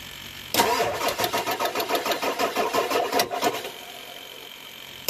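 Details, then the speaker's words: Ford Excursion 7.3L diesel with AFE Magnum Force cold air intake and one or both batteries suspected failing after a cold winter cranks slowly in even pulses about five a second for roughly three seconds without firing; weak cranking. "That's a dreaded sound every diesel owner hates to hear."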